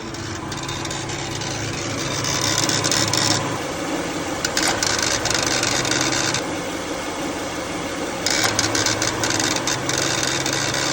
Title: What is making noises when AC on ?? #mechanic #car